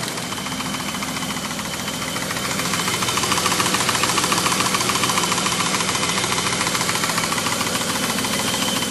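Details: BMW M30B35 six-cylinder engine idling: fast, even metallic ticking over the hum from excessive valve clearance at the rocker arms, with valves set to 0.30 mm.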